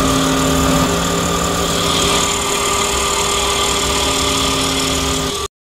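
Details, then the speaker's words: Pickup truck idling with AC switched on, recorded inside cab, louder outside: steady high whistling squeal from AC compressor holding pitch; owner fixes it by spraying WD-40 at the compressor; AC compressor squeal. "esto ha prendido el aire dentro del compresor y ahí se alcanza a escuchar el ruido kim bien aquí adentro pero afuera es aún más fuerte sonido mi raza"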